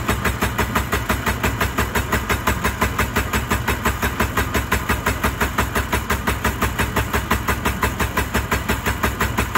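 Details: Engine cranking with a steady, rapid, evenly paced starter churn that never catches or rises into running; cranks but won't start, cause unknown.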